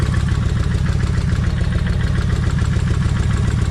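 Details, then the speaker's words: Kawasaki Vulcan 1600 V-twin, owner hoping lifters quiet down: at idle, quick fairly even tapping, three or four a second, in pace with the engine; suspected valvetrain/lifter tick, unconfirmed. "still got the tapping but I want y'all to listen to this"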